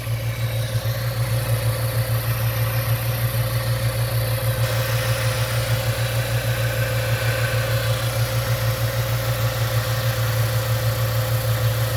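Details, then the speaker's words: 1998 Ford Mustang after ten years sitting, idling to reach normal temperature after shifting into reverse and drive: steady smooth low rumble, quiet, no knocks, misses or ticks; normal idle. "oh it runs so smooth this is this is surprising for 10 years sitting without being cranked and fired up great"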